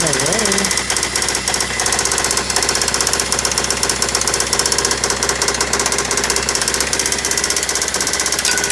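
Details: Toyota Celica with newly installed JDM replacement engine knocking badly at idle on startup, worse than the previous engine: loud, hard, rapid unrelenting tapping; told it might be carbon buildup on cylinder tops, cause unconfirmed.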